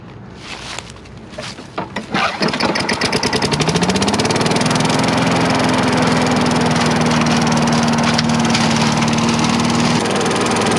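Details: Craftsman 4.5 HP four-stroke carbureted yard vacuum that previously died after 5-10 seconds, after cleaning a fuel-fouled spark plug. A few pulls, then it catches, revs smoothly and holds a steady even note; runs properly.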